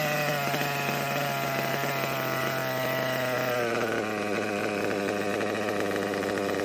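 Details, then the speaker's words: Kyosho KE25 Big Block nitro engine, after final small low-speed needle leaning: steady high buzz, brief rise in pitch then sags and winds down, good throttle response and settled idle; low-speed needle set correctly. "Getting good throttle response. As you can see, getting very good throttle response. And the idle's settling down good too now, so."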